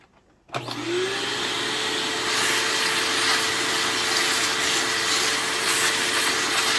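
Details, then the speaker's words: Bissell PowerForce 3537 upright vacuum packed with horse debris spins up with a rising whine, then a thin, weak hum under airy hiss, quieter than usual; the armature and carbon brushes are suspected to be failing. "yeah, that motor is struggling. It kind of reminds me of, like, it sounds like it's going out."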